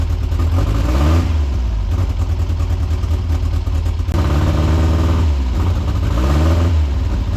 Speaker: It sounds very rough, but I think that's timing and carburetor settings.